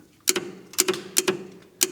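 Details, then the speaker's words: AMC Rebel SST sitting 35 years, rat-chewed wiring, jumping the starter relay; sharp double clicks, four pairs in two seconds, no cranking; relay works but owner suspects dirty, rusty connections stopping power reaching the starter. "Well, the relay's working. Are we getting power on this side? Probably got a dirty connection."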